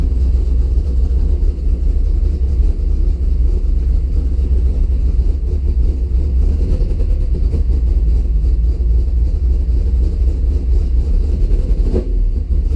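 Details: Engine cranks healthy but fails to start, then idles low, loping and uneven with no clean rhythm; spark to coil just restored by reworking wiring, fuel pressure 50 after prime (over 60 during), running really rich and sneezing fuel, cause not pinned down.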